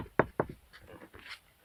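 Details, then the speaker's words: Center console after gluing panels to cure creaks: two dull knocks on the panel with no creak or squeak afterward; console now quiet. "ничего не скрипит маленько так проделанной работой доволен"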